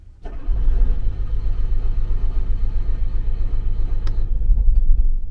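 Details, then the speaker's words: RV generator that has been sitting a while, repeated start attempts after priming: steady, rhythmic cranking at about four beats a second that never catches; it cranks but won't start. The owner suspects it needs priming again, cause unconfirmed. "So like I said, you might have to do this a few times."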